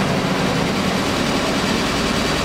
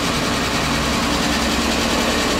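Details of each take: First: Kia Rio at idle after a stiff clutch pedal repair: a smooth, even hum with no knocks, rattles or chatter. The engine sounds healthy. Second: Kia Rio after stiff clutch pedal repair, engine running at fast, light idle: busy metallic rattle over the idle with no change in speed, "more rattles than a millionaire's baby"; engine rattle at idle.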